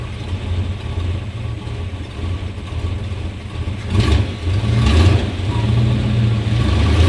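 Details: 1991 Chevrolet Suburban V2500 4x4, 5.7L 350 V8, after new cap, rotor, ignition module, plug wires and fuel filter: lumpy low idle stumbles and bogs when shifted into gear, lacking power and stalling once rpm drops; rough idle from faulty ignition coil.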